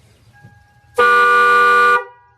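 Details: Toyota Tacoma stock factory horn, sounded before it is replaced by louder Harbor Freight #99911 horns; a single steady one-second blast with a clear, even tone, weak rather than loud: the stock horn works.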